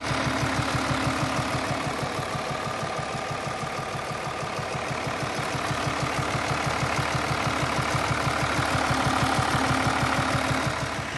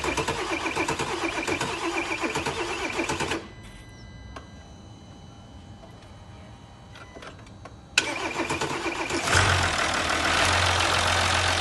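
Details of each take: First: 2020 Mercedes S350 inline-six diesel (656) idling with a faint, steady tapping about three per second. Cause is worn rocker arms, cylinder 5 worn low with play; noise minimal and hard to hear. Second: 2020 Mercedes S350 inline-six diesel after rocker arm knocking repair: cranks, catches quickly and settles into smooth even idle with no knocking; sounds healthy.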